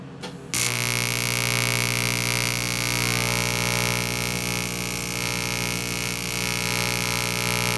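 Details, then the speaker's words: 1990s Miller Econotig on AC high-frequency TIG, aluminum, after master switch replaced and wiring corrected: harsh buzzy hissing arc with rough steady pulse, never settles; welds steel fine on DC but won't puddle aluminum, owner suspects machine not holding high frequency. "if it's the machine it just is not working right in high frequency or not staying in high frequency mode i'd love to get that repaired"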